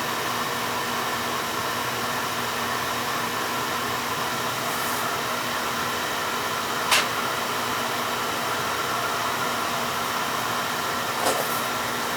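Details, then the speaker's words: Beckett oil burner that had tripped its safety control and would not fire, now running after the service: even, steady roar with no sputter, surging or pulsing; burner firing cleanly and running normally. "yeah definitely running smooth because I can hear it yeah"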